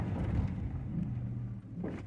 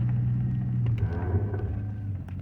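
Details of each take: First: 2005 Chevrolet Silverado, owner complains of a braking noise, spongy pedal and a warning light; on this stop the truck rolls to a halt with only low road rumble, no grinding, clicking or pulsing; braking sounds normal. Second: 2005 Chevrolet Silverado at low speed under light braking: deep steady groan and buzz with spongy pedal.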